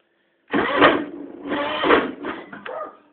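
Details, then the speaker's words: John Deere 325 at 615 hours, cold start the day after a muddy run, icicles on the machine, choke on: engine chugs unevenly for a few seconds, then fades out and dies, stalling on cold start. "So, we got to choke on. Uh we're now at 615 hours still. So, let's see what we get here. Oh, she killed"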